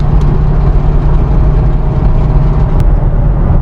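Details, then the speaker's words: Ford Mustang S197 after transmission-shop repair, 6th gear at about 80 mph: steady engine drone, road and wind noise, no metal-on-metal rattle from the loose underbody piece; no underbody rattle. "I don't hear any rattling. Going back up to 80. I hear some wind, but no rattling."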